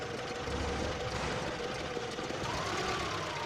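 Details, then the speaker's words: 1979 distributor-and-coil car after ignition coil improvement, choke fully opened after 3–4 minutes running: steady, even idle, no stumbling or hunting, slight vibration; normal warm idle. "and right here now I have totally opened up the choke throttle and the engine has a totally different uh Behavior totally different sound the is a little bit of vibration you can see"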